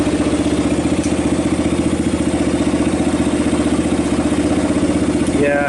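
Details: 1990 Kawasaki Bayou 220 ATV single-cylinder, with a replaced carb and good compression; settles into a steady even idle at roughly three beats a second, no knocks or misses, then fades as it runs out of gas. Normal running.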